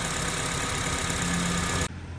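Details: Honda with code P0507 (idle higher than expected) that had fluctuating rough idle, after repair: warm petrol engine idling steadily and evenly with no hunting, surging or knocking.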